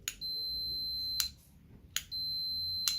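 Two steady high-pitched continuity beeps, each about a second long, with quiet between; the micro switch closes and conducts properly.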